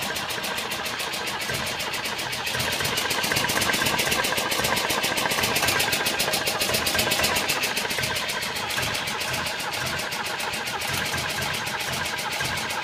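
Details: B18 engine with cold compression around 11-12, spark and fuel present: rapid, regular cranking about four beats a second, swelling and fading without ever firing; cranks but won't start.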